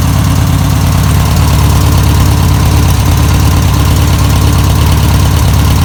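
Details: 1962 VW Type 2 van/bus air-cooled engine, sat over 40 years: deep, even putter about three beats a second, no misses or stumbling; normal idle.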